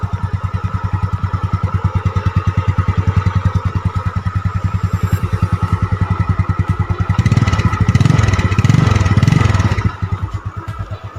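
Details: Yamaha Mio Sporty automatic scooter after a repair for oil consumption and a seeping block and head, now finished and no longer leaking oil. Steady, low-pitched idle putter with a few smooth throttle blips that settle back cleanly.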